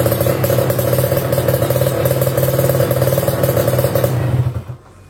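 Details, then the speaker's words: Kawasaki Ninja RR New two-stroke fitted with KDX racing exhaust: crisp rapid crackle at high revs dropping off cleanly when throttle closes; normal healthy revving. "Oke sip, suaranya cakep banget ya tadi ya."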